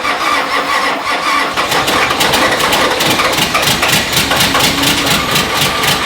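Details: Nissan GQ Patrol diesel, cold first start after 3.5 years of storage, no coolant in the radiator: slow uneven cranking catches into a rough, clattery diesel run, firing building up as it starts.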